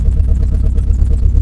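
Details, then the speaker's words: Renault Clio Mk1 1.8 16v project car, fired up on a new battery with no exhaust system fitted: loud open-pipe idle with a lumpy, uneven beat and the odd dropped pulse; missing a little, probably a misfire, possibly from stale fuel. "the fuel's probably not great, and she is missing a little bit. But yeah, she runs!"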